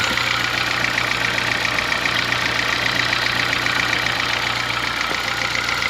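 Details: Honda Fit gasoline engine at steady idle: fast, regular metallic ticking knock about three or four per second, sounding like a diesel Kombi or old sewing machine; owner says it lessens once warm; cause not pinned down, car at workshop.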